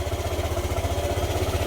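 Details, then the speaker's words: Yamaha YTX 125 single-cylinder motorcycle, normally fitted with a sidecar, idling after misfire was fixed; steady even thump about sixteen pulses a second, no skips; clean idle but still won't move in gear, clutch suspected. "So ayan guys ah. Okay na yung andar niya. So wala na siyang palya pero ganun pa rin ayaw umusad."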